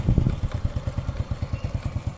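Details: 2008 Honda Supra Fit X, 16 years old, idling in neutral with no white smoke. Fast, even light ticking at about ten per second over a lumpy single-cylinder idle. The owner suspects the rocker arms or valves, unconfirmed.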